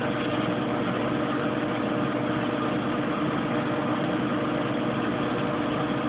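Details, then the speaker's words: Kenmore Oasis top-load washer after repair for an OL code that had halted loads for about a week: steady, even spin hum with no knocking, scraping or wobble, spinning smoothly at about 25 minutes left before rinse. "It's spinning very nicely."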